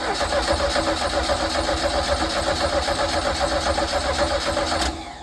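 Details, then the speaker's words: 1982 Sea Ray boat engine: starter cranks at a steady four beats a second with no firing; fuel reached the carburettor only when poured in, as the fuel pump delivers no fuel through the line. "However, getting gas here was not happening. So I was not getting any fuel through my fuel line here to make, the engine happy."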